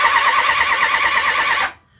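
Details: Honda VFR750 V4 with suspected carburettor problems after ignition fix; wavering starter whine cranks steadily nearly two seconds without firing then cuts off; long cranking, hard start, cause unconfirmed.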